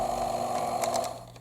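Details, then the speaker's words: Thumper Mini Pro 2 massager after reinstalling the two pieces that secure the cover: steady, even mid-pitched hum with no rattle or buzzing. Normal running, rattle fixed. "So that's got to be what's causing this noise. Let's turn it on and see if that fixed it. That fixed it."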